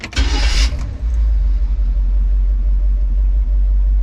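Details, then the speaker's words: Carbureted classic van with an Edelbrock carb, hot start just after tightening the loose positive and negative battery cables: a brief crank, then it catches within a second and settles into a steady low idle; the slow start was the cables, not timing. "here I was thinking it was timing cuz I've been messing with timing but no battery cables"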